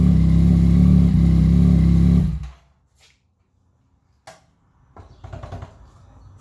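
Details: 2017 Yamaha FZ-09, test after clutch replacement: the engine runs and revs smoothly for about two seconds, then shuts off cleanly, with no clatter or slipping; sounds healthy.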